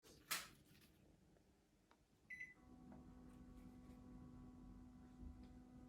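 A click and a short beep, then a quiet, even fan whoosh with a soft steady hum; the unit is running normally.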